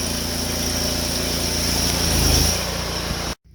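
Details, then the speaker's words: Honda GX690 pressure-washer engine with General Pump 8 GPM triplex plunger pump, test run after oil change: even steady drone with a brief rev rise, no knocks or misses, then clean shutoff; normal running. "Back in business."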